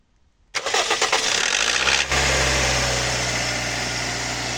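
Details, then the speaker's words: Toyota 1NZ with hydraulic lifters, rebuilt, 5W-30 synthetic oil, restarted still warm after sitting about 1–1.5 hours: engine catches, then a loud, fast metallic clatter from the top end over idle. Valve noise developed gradually after the rebuild; cause unknown. "такое лютое дизеление после простоя ездил недавно машина стоит часа час наверное Может полтора двигатель ещё не остыл и вот при запуске гремят клапана что что может быть за хрень"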